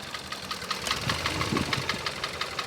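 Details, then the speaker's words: 2016 Kia Soul, 172,000 miles, idling: sharp metallic knock about five a second over a rough idle, louder with the cylinder 2 or 3 injector disabled to isolate it; deep internal engine knock, bottom end and connecting rods to be inspected, cause unconfirmed. "But just look how bad it knocks when I disabled the cylinder 2 or cylinder 3 injector. It sounds pretty bad."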